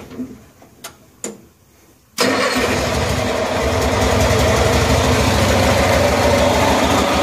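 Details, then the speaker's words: 1974 Cushman Truckster Haulster, cold start after a rewiring job and a while without running; a few cranking clicks, then a steady, even idle with no knocks: runs healthy. "well it is great to hear it run again it's been a while glad it runs"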